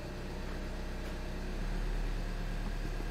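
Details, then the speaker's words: VW Jetta TDI manual after clutch kit and flywheel replacement, idling in first gear on the lift with the clutch let out: steady, even diesel rumble; the earlier grinding on clutch release is gone, clean engagement. "as you can see the noise is no longer there so this is fixed guys"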